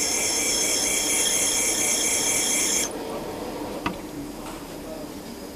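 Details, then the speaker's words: Cylinder head valve seat refacing with abrasive stone at same angle as valve: steady high, even rasping grind then drops away; constant note judged by ear to mean the seat contacts all round and is smooth. "Dès que tu as le bruit qui est constant, c'est que ça porte partout? C'est que ça porte partout et que tu es lisse."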